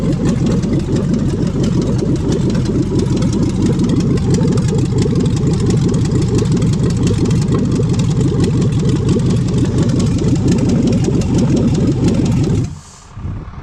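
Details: 5.3L LS V8 for a swap, first start on an engine stand after fuel pump priming: strong, even V8 beat holds steady about twelve seconds with no knocks or misses, then cuts off cleanly; normal running.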